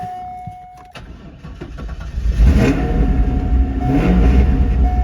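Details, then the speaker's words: C5 Corvette with brand-new battery and known coolant leak: starter turns engine sluggishly, about three slow uneven pulses a second, before catching; should not crank slow, cause unclear. "Now you heard how slow that cranked. That battery's brand new, so it should not have cranked slow."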